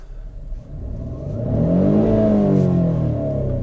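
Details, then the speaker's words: Peugeot 407 Coupe V6 with the ES9A engine, after a manual engine ECU kit swap: a smooth rising then falling roar as the revs climb and settle, clean and even with no rattles; a healthy rev. "wow. So that's it. That's the ES9A rumbling. That's roaring. I love this sound."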